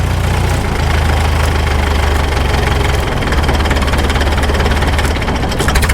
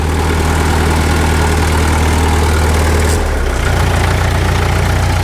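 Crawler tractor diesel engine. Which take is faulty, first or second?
first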